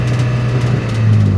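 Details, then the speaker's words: Nissan X-Trail T30 automatic with engine and ABS warning lights on, stuck in first gear in D; revs climb to 3,500 rpm and hold high and steady with no upshift. "ini enggak mau pindah ya teman-teman ini sampai RPM di e 3.500 tidak mau pindah Nah tidak mau pindah"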